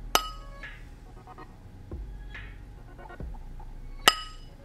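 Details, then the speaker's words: Ring test on a new grinding wheel resting on a finger, tapped with a sturdy tool: a dull, muffled ring that dies quickly, meaning the wheel is most likely cracked and should not be used. "if the ring you hear from tapping the wheel is somewhat dull and muffled like this"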